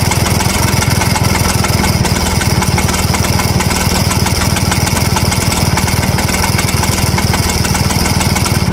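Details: 1963 Vespa VBB two-stroke at idle: busy, uneven rattle about four beats a second, source unclear; scooter also won't start after it warms up.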